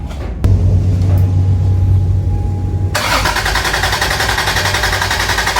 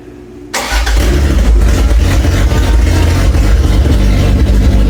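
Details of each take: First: Toyota Cressida MX83, first start after engine reinstall, fuel primed, low oil pressure: starter cranks evenly about three seconds but never catches; fuel and spark present, intake backfires, distributor suspected out of time. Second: Toyota Cressida MX83, engine just reinstalled; earlier intake backfires were blamed on distributor timing, fixed by re-clocking the distributor gears. The starter catches quickly and the engine fires into a strong, even run with no intake popping. Healthy start.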